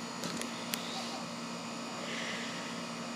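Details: 2007 Guardian and 2001 York central air conditioners running on a hot day, recently changed filter: steady low hum under even fan rush, no knocking or rattling; normal outdoor compressor operation.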